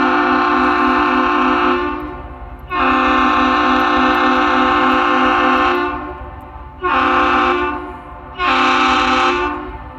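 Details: Lake freighter James R Barker arriving at Duluth at night in thick air to load iron ore: the horn salute gives two long and then two short deep blasts, each clean and strong; it works properly after an earlier misfired salute.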